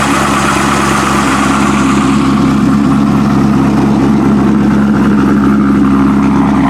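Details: Heavily modified Corvette V8 with no stock engine parts, MSD ignition, FAST intake, LG headers and near-straight pipes with mufflers: loud, deep, steady burble with an open-pipe roar, even firing and no knocks or ticks; normal idle with revs.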